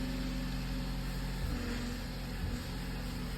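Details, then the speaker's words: Power steering pump whine from air in the fluid, heard at idle after replacing the leaking pressure line; whine quiets as the wheel is slowly turned lock to lock to bleed air. No leaks; owner hopes pump wasn't damaged by repeatedly running low on fluid. "And slowly turn the wheel all the way to the right, and then all the way to the left, and all the way to the right. You hear it getting quieter?"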